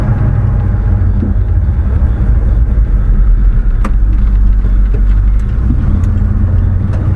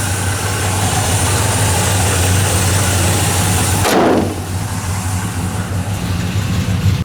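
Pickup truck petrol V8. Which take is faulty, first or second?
second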